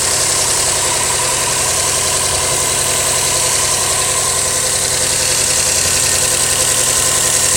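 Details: 2008 Subaru Legacy GT at idle: a regular light tapping at about three or four beats a second over the engine note; owner suspects rod knock, not confirmed.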